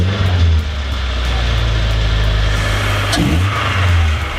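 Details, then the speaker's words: Old Nissan 240SX started after suspected fuel-filter problem (previously lost power while running); clutch in, steady even low engine drone with no stumble or surging, much better running, though motor mounts still need replacing. "Definitely still need to get motor mounts, but that's definitely a lot better."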